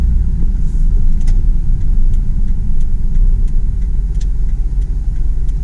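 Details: 2004 Dodge Dakota with a 4.7L V8 at 117k miles, cruising at low speed in a park: a deep, steady, smooth rumble with no knocks or ticks. Temperature and oil pressure are normal, and the engine is healthy.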